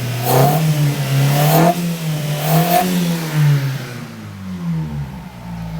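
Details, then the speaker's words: 1995 Mitsubishi Libero 4G15 with a faulty distributor coil (causing weak spark and loss of power): a few quick throttle blips rise and settle cleanly with no stumble or misfire. The test-light spark check shows the distributor working properly. "So, which is good. So that definitely tells me that this distributor is working like it's supposed to, right?"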